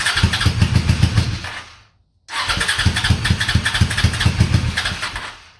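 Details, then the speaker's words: Honda Shadow V-twin motorcycle, about 20k miles on the same oil, parked 4 years, on a booster box with full choke after a Berryman soak: short bursts of uneven chuffing that die after about two seconds; hard starting, owner suspects a weak fuel pump starving it. "Yeah, she's starving for fuel. I think that fuel pump is weak."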